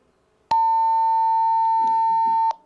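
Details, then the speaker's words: One steady mid-pitched beep held about two seconds right after keying up a DMR radio: the round trip to the repeater succeeded but the repeater denied transmission, likely because the time slot is busy. "that means that my radio made the my my my radio made the round trip to the repeater it got to the repeater and the repeater said no you you may not transmit now"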